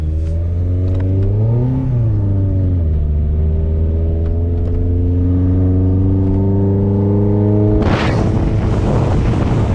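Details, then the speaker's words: 5th-gen Honda Prelude, test drive after upgraded fuel pump and filter work, intake manifold resealed with no leaks: revs climb briefly then sag and hang flat, still bogging but picking up slightly better; owner suspects ignition timing. "It's bogging still, but it feels like it's picking up better. A little bit better. It's still got a bogging issue though."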